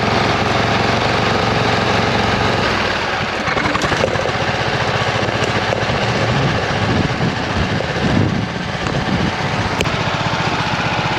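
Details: 26 HP Kohler V-twin lawn tractor under load. A lumpy, uneven beat with missing firing pulses and a loping exhaust, running on one cylinder. Rich black exhaust smelling of unburned gas after two years of intermittent misfires. Dead coil suspected.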